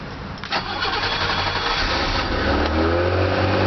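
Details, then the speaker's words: BMW with iffy battery, just started, foot off the pedal: revs climb high and waver, about 2500 rpm by ear with tach not working, idle surging up and down regardless; high idle surge after start. "can hear the idle gets pretty high. Um my head tack working. It sounds like it's hitting about 2500 RPM right now. And my foot is off the pedal."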